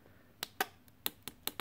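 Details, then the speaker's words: Mr. Coffee automatic coffee maker control panel removed to fix a sticky button: six crisp, even switch clicks with no crackle or drag; all switches feel operable and clean, no problems. "real quick these are all the switches and they're all they're all nice they all feel real operable clean no problems"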